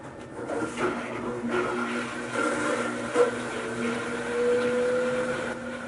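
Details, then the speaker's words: General Electric washing machine on a spin-cycle test after its motor was replaced: steady motor hum and a smooth, even whir at constant speed, with no grinding or knocking; the washer works normally. "set the timer on the spin cycle and turn it on to see if the washer works"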